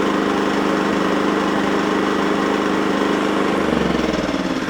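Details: Second-hand generator after oil change, surging and hunting cured by turning on the fuel tap, running E5/E10 fuel: even, steady beat then settles lower; normal steady idle.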